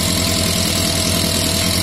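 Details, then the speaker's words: Yamaha Fazer FZS 600 first start-up with fuel leaking from a carb bowl: steady four-cylinder idle with light, fast tappety ticking; owner suspects valve adjustment but thinks lack of proper lubrication is more likely. "The engine sounds a bit, you know, tappity, valves probably need adjusting. That is something we can do, that's not a huge issue."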